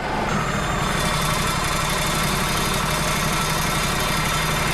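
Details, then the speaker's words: Wood-Mizer LT35 hydraulic portable sawmill, diesel, while positioning a 14 ft knotty white pine log for a 12x12 beam: steady diesel drone with a loose, uneven rattle on top, source unclear; rattle while running. "the hell's rattling? Hear that rattle?"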